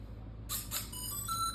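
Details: M Mini drone switched on while on the ground before connecting the remote: a few short chirpy beeps over faint background; normal power-on beep.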